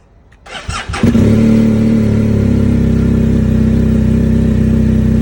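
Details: 2020 BMW GS Adventure twin, stock battery fully charged, firmware updated, dealer found no codes, about 24-30°F in cold garage; starter churns briefly then catches to steady even idle, owner suspects bad starter switch, cause unknown: hard starting.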